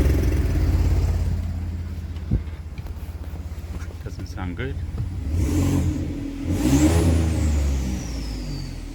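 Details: Ford F-150 with O2 sensor fault P0130 and cylinder 3-6 misfire codes: engine idles, revs and settles with slightly uneven, raspy note under throttle; rough running with oxygen sensor unplugged/removed.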